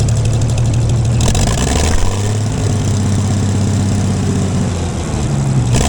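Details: Gleaner combine gasoline engine after its first start following a carb rebuild, starter rebuild and two straightened push rods. Steady, even low idle with a slight settle partway and no knocks or misses. Runs better after blowing exhaust debris, suspected a mouse nest; normal idle.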